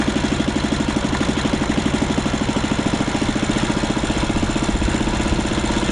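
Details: 1939 Lauson RSM 1hp marine inboard, air-cooled single-cylinder (5.9 cu in, rated 2300 rpm), audio-tuned straight pipe: loud, steady bark about three pops a second, firing evenly, no skips or knocks; running well.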